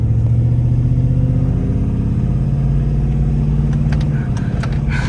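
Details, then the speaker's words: Yukon with a 2800 RPM stall torque converter pulling away: the engine revs up and holds high, a normal high-stall flare and not a broken transmission, heard during a steering test after steering components were replaced. "Hold on, before I take off, my transmission is not broken. It revs up higher because I have a 2800 RPM stall converter"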